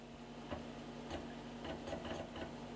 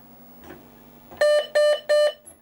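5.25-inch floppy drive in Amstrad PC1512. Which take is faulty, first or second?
first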